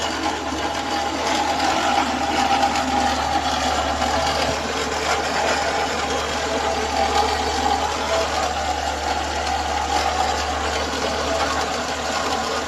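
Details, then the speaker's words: Renault Sandero 1.6 8-valve, owned one month, under warranty: loud fast sewing-machine ticking steadily over idle from the top end; owner suspects cylinder head or rocker arms, cause not pinned down. "Então, esse é o barulho que tá fazendo. Nem faço ideia do que é, se é do cabeçote ali, dos balancinhos ali, alguma coisa assim, cara."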